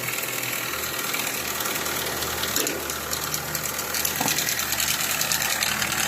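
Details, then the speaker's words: Nissan Altima 2.4 petrol idling with a bright, uneven ticking and hiss over a low hum; mechanic suspects cam timing or chain, customer reports coolant consumption and plugs were found wet; cause unconfirmed. "qué pasó aquí dígame qué pasó de tiempo de levas o qué pasó para este ruido hay que quitarlo hay que destapar la tapa hay que destapar aquí para ver la cadena y para ver qué está pasando ahí"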